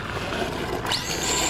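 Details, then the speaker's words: RC stadium truck at full throttle: high whine climbing sharply in pitch over gritty mechanical rattle, sounding like a slipping slipper clutch though it reportedly has none; known fault before it broke, cause unconfirmed. "hear that that was full throttle it just kind of sounds like it has this"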